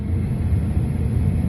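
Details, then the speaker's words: 1997 Dodge Stratus blower motor at highest position with resistors bypassed after a homemade resistor fix; deep, even rushing rumble with no squeal, tick or wobble: normal blower at full speed. "second position you can hear it third and the last position is again with all those resistors bypassed"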